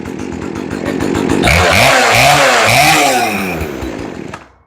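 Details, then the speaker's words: Poulan two-stroke chainsaw after new carburetor, fuel lines and filters, no adjustment: snaps up through clean smooth revs and drops back without bogging; running properly. "And she revs nice and easy. So all she really needs was carburetors and this fuel lines and filters."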